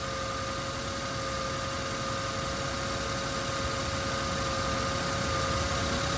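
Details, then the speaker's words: Lexus LX470/Land Cruiser 2UZ-FE V8 at completely cold idle, -6°C; smooth even hum with no tick heard (faint cold-start tick usually appears below about -7°C, owner suspects loose spark plug or oil viscosity; owner thinks injector noise is audible). "right now the engine is engine is completely cold I think that's noise of the injectors"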